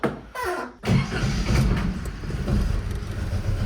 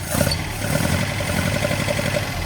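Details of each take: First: 1979 Datsun 620 after misfire work, before fitting a remanufactured alternator, catches after a couple of cranks and runs smooth, low and even on all four cylinders with no misses; charge light still on. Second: 1979 Datsun 620 after losing oil when its filter unthreaded and having alternator and charge-light trouble, battery about 12.5 V: lumpy, stumbling idle with a regular skip, owner thinks it is running on three of four cylinders and idling too slowly to charge. Ignition misfire on one cylinder.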